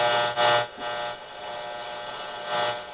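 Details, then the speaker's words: Shop radio setup: hissing static swelling and fading over a steady buzz with faint tones, heavy electrical interference; owner suspects lost grounding since it was less noisy when first installed. "I've got a lot of noise in this shop and I think I might have lost some ground because when I first put it in I didn't get all this as bad"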